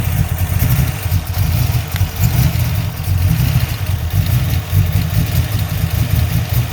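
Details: 347 engine at idle: deep, lumpy, uneven idle with stumbling beat and dropped pulses, a misfire; vacuum leak suspected, cause not confirmed.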